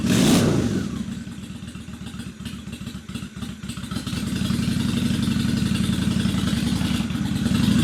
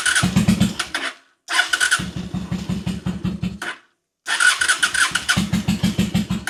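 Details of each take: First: 2003 Honda Shadow Spirit VT750 V-twin at idle after carb cleaning (it had been running on one cylinder); both cylinders fire with an even, loping beat, picks up cleanly on blips, idle super smooth; running great. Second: 2003 Honda Shadow Spirit VT750 V-twin on non-ethanol fuel, lumpy uneven firing that stumbles and cuts out; running on one cylinder, a recurring carburetor problem.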